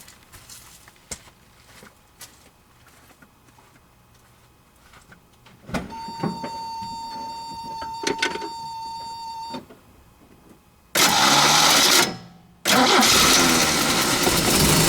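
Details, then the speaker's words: Toyota 22RE truck fitted with an older 20R-style starter: high steady whine as starter spins freely without biting, then loud rough crank; drive engages only intermittently, suspected worn starter drive. "sounds like it definitely needs a star drive though judging by how um it's not always engaging"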